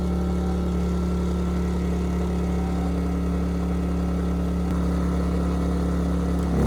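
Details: Ryobi RYI2300 inverter generator, 15 months old, after fix: stalling under heavy load solved by turning the easy-start knob further. Steady even drone holding speed under load, small rise near the end, no stalling; normal running.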